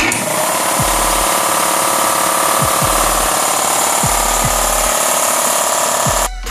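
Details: 60-gallon Kobalt air compressor after pressure switch replacement, building pressure: loud, even motor-and-pump drone with a few low thumps then stops; runs normally, a small constant leak remains at one fitting.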